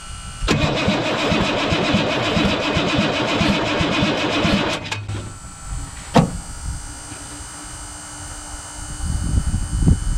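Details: 1983 Chevy K20 squarebody with 6.2 diesel, parked long, cranked in neutral with 12 V at the pink shutoff-solenoid wire: even chugging about three beats a second, never fires; no fuel reaching injectors, injection pump or stuck shutoff solenoid suspected.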